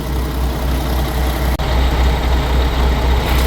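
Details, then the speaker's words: 2016 Peterbilt 579 with PACCAR diesel running after a DIY water pump replacement, with the belt and fan reinstalled. It gives a deep, steady idle with an even low rumble and no knocks, rattles or whine; it sounds healthy. "alright, I don't know if you can hear me, but now we got it running."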